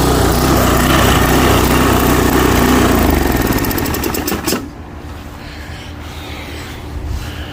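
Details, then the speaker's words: Toro Timemaster mower after blade spindle shaft, spacer and bearing replacement, smoke burning spilled oil off the exhaust. Fires up and runs strong and even with no knocking or rattle, then throttles back smoothly. Normal running after repair. "Alright, so I call that a win. Go ahead and excuse all the smoke burning off the exhaust."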